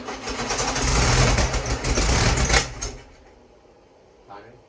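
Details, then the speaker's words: Freshly rebuilt VW Beetle 1641cc dual-port air-cooled engine, first start: catches and runs roughly a couple of seconds then dies; seems not enough fuel, fuel pump suspected not working though carburetor still squirts. "seems like it's not got enough fuel to keep it running"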